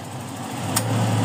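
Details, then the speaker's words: Toyota Revo 7K engine after idle issue correction and AC hi/low pressure adjustment: steady idle, then a short click and low hum as the AC compressor cuts in, idle holding even; normal idle with compressor cycling. "umaandar na aircon mo. Ayan, nagmumuwis na yung mga bintana niyan."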